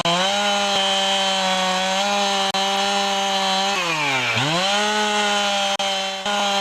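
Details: Husqvarna 365 chainsaw after intake boot replacement. It holds a high, steady two-stroke buzz, with one brief dip and quick recovery, otherwise smooth and even: normal running.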